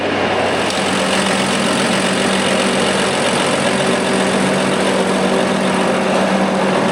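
Steady diesel run with a harsh, raspy hiss over the low rumble, consistent with exhaust escaping from a broken flex pipe after the turbo.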